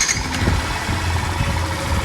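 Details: Factor/Crosser/Fazer 150 motorcycle after replacing the starter motor (the old one had a damaged armature gear and bearing play): short crank, then it catches cleanly into a steady low idle with no starter grinding or whirring; normal start.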